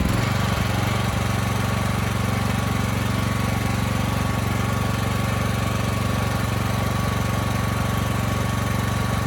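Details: Briggs & Stratton Elite Series generator (model 030471-01) after repositioning the oversensitive governor spring and backing off the speed adjustment screw: constant engine note, even beat, no rise and fall; hunting and surging gone.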